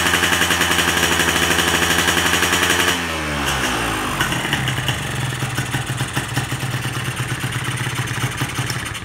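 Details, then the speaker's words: Carbureted engine at 1/4 throttle: it holds a high buzzing rev, then abruptly cuts out around 5 on the tach instead of 9.5–10; a rich cut-out from an oversized pilot jet. "Ok, sama juga RPM 5 dia dah cut. Jadi ini memang terlampau besar lah pilot."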